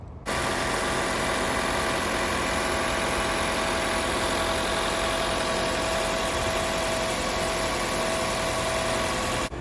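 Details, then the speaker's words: 2020 Toyota RAV4 Hybrid, four-cylinder, after about four years of driving, with the combustion engine kicked on by the heat/AC and the hood closed: steady, even hum with no knocks or misses, a perfectly normal smooth idle. "that my friends is the sound of a very clear and crisp hybrid 4cylinder powertrain system and this is what it sounds like with the hood closed perfectly normal perfectly smooth sounds just like you would expect a Raff or hybrid to sound after 4 five years of driving"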